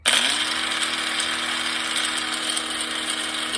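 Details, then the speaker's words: Drill Master Harbor Freight grinder about 8–10 years old spins up fast to a steady whine with a loud continuous metallic rattle over it; something loose or worn inside. "my issue right now I've had this uh Drill Master Harbor Freight grinder for probably eight ten years I don't think it's supposed to do this"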